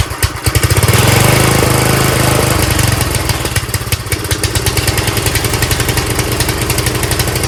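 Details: Old Craftsman tiller, small single-cylinder engine, started after a little priming; steady quick even chugging with no misses or stalls, running normally.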